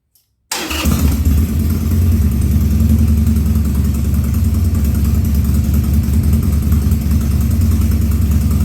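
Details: 2000 Harley-Davidson 1200 Sportster V-twin, first start after carb rebuild and leak fixes, on choke, air cleaner off: catches and settles into lumpy idle with occasional coughs and stumbles; running a little lean.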